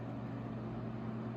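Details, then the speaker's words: 1970s Lasco 12-inch Super tilting box fan, before restoration, running on low: a deep, smooth, even hum and full low rumble with no rattle or wobble, sounding like a larger fan; it runs normally and well balanced. "now this despite this being a relatively small box fan it sounds like a much larger fan it's got a nice a full and deep Rumble to it as it"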